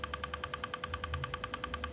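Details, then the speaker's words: Repaired Godox V850 speedlite, rapid burst firing after a full-power test: crisp, evenly spaced clicks about ten a second over a steady high charging whine; fires and recycles without faltering or dropping out. "seperti ini tembakannya juga ngisi terus nih Om sampai saking cepatnya enggak masuk ke kamera ya alhamdulillah nih Om ya"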